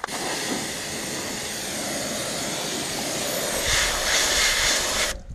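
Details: New Kärcher pressure washer on a farm, pencil jet nozzle: steady hissing spray rising slightly as the jet hits the part, even motor hum underneath; healthy.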